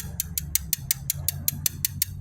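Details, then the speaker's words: 2008 BMW X3 3.0 six-cylinder, 160,000 miles, idling: sharp even ticking about five or six a second, louder as the engine warms; noise pinpointed by stethoscope before valve cover removal. "So when the engine's running, it has a tapping noise or a ticking noise, whatever you want to call it. The, as the engine gets warmer, it gets a little louder."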